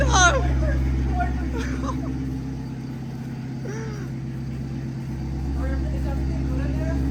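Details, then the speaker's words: Rebuilt Corvette engine on first start after filling fluids fires and settles into a steady low drone with an odd note, shut off at once; oil leaking underneath and smoke, crew suspects too much oil; abnormal noise. "What's that noise? Oh, stop it. Turn it off. What's going on? Too much oil, maybe?"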